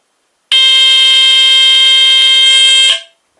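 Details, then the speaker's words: Vintage GE Home Sentry 8202-001 hardwired 120VAC smoke detector, likely mid-to-late 1970s: loud steady high-pitched squeal holds about two and a half seconds then cuts off cleanly; normal alarm horn test. "The Pyrotector Heathkit sounds exact same as that one. So, uh that's what that one would sound like."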